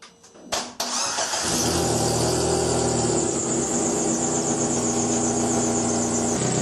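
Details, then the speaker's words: Chery QQ after the underside was hit: the engine cranks and catches, then idles with a loud, coarse exhaust rumble from a leak between the exhaust manifold and the catalytic converter housing. "รถของฉันCheryQQหลังจากกระแทกที่ด้านล่างเริ่มส่งเสียงดังก้องอย่างรุนแรงในการค้นหาการรั่วไหลคุณต้องสตาร์ทเครื่องยนต์และฟังการรั่วไหล"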